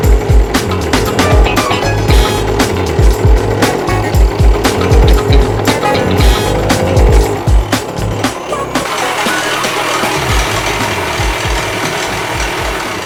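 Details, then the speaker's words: 48-year-old Yamaha DT100 100cc two-stroke, after rebuild with homemade base gasket: choppy uneven beat that never clears or picks up, sounding smothered; owner suspects exhaust restriction (possibly ignition timing) and plans to run without the exhaust. "not convinced that anything I've done has made any difference I think the only thing it still can be is uh exhaust so I need to get exhaust off and try it without the exhaust"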